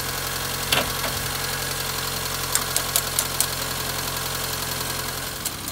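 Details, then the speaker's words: Austin Allegro idling after a roadside stall, now running again with the carburettor mixture adjusted rich; points, distributor cap and rotor arm are poor, giving barely a spark. Even, steady idle with a low drone and no stumbling or misses; normal idle. "but it it's running again lovely now no problems at all"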